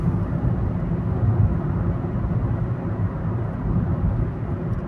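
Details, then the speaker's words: Car after ignition coil replacement fixing a P0300 misfire, accelerating hard on the open road: smooth, even low rumble under load with no stumble; normal running with full power. "Yep. The acceleration is great. This is how the engine is supposed to work. And this is how much power it's supposed to have."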